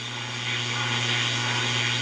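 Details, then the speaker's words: GE P-965B radio on battery power tuned to 840 AM indoors, shop's main noise-making appliance plugged in: steady low mains buzz and hiss over the station; RF interference on AM radio, worse once the appliance warms up. "this is the primary noise maker in my shop I'm gonna plug it in and show you"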